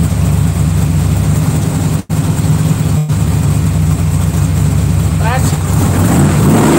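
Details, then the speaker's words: Rebuilt 327 V8 on first start of 2019, ahead of cam break-in: deep, steady rumble with quick blips and no knocks or ticks; an earlier noise went away, which the owner puts down to the metal warming up. "sounds sweet now how's that noise well must be the metal warmed up"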